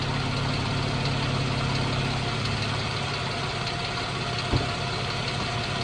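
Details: 2014 Jeep Wrangler 3.6 Pentastar at steady idle: light uneven ticking, roughly three a second; owner unsure whether rocker arm or valve tick.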